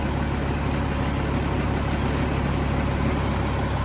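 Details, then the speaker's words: 2003 Freightliner Columbia, Caterpillar 3406 (6NZ) diesel, after working on the number 5 injector that caused yesterday's problem: smooth, steady idle with an even beat of about three per second at correct rpm, no stumbling. "It's hard to see, but you can feel it, you can hear it. Nice and smooth at idle. RPMs are just where you want them."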